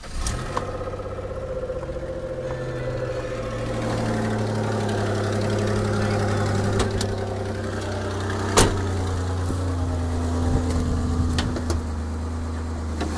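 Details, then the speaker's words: 2002 Ford Escape XLT 3.0L V6 at idle, heard from underneath: loud, raspy, rapid uneven puffing tick; exhaust leak suspected behind rear manifold/converter heat shield or at front header joint, persisting after sheared manifold studs were replaced. "that noise really seems to be coming I'm right under here not sure if it's a uh exhaust leak at the dut where the the the the front header comes down or if it's a leak in the exhaust manifold behind that sheet metal heat shroud"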